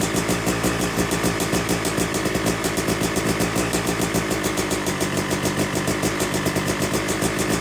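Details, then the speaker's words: Yamaha YZ250 two-stroke bored to 270cc, second start after a full engine rebuild, warming toward 100–125 degrees during break-in: crisp, even idle with steady popping firing pulses and no knocks or rattles. "we've let it cool down now and we're gonna fire it up again and let it warm up to about 100 degrees 125 degrees or so"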